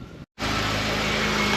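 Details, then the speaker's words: Honda Accord/TL (RV6 J-pipe fitment, stainless steel) started after exhaust J-pipe repair for an exhaust leak; engine catches and settles into an even idle with no puffing or ticking, leak appears fixed. "there he goes it's a live fighter so I guess this problem is fixed now"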